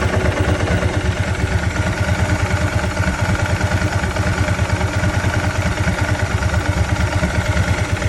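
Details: 2003 Ducati 999S, 7,600 miles, after fixing one-cylinder running caused by a clogged injector, using a fuel setup from an '05: steady, even V-twin idle, firm regular low pulse on both cylinders, no misfire or stumble.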